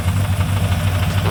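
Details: V8 with Comp Cams XR270HR camshaft: lumpy idle with a quick, fairly regular deep knock under the cam lope; owner suspects rod knock, unconfirmed.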